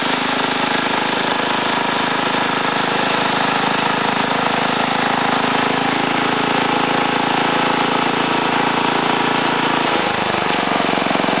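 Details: Ariens TA20A Trans-a-matic tiller after engine rebuild and plate clutch repair, carburetor untouched: small single-cylinder pulls steady and even under tilling load in wooded ground, no knocks or misses; normal running.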